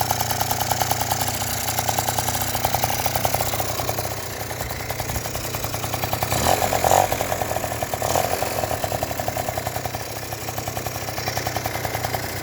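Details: Yamaha Jog two-stroke scooter that wouldn't start, after cleaning the spark plug and tightening the cylinder head: catches, settles into quick even buzzing idle with a couple of blips; starts and runs normally now.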